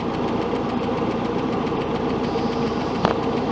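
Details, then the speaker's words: 1967 Starcraft Holiday 120hp MerCruiser I/O (Iron Duke four-cylinder), warm at temperature, idling with Seafoam in the oil: light, regular ticking several per second riding on top of the engine; top-end tapping, cause not yet identified. "Well, that's pretty successful, I think, other than the tapping noise we got going on. I'm not exactly sure what that's all about, but we'll dig into it."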